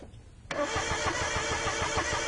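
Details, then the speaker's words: Car cranking but not starting even with fuel added; starter turns steadily about three beats a second, never catches; spark looked strong, crank sensor ruled out. Cause not yet found. "still with fuel added the car didn't start that's strong that spark looked good to me"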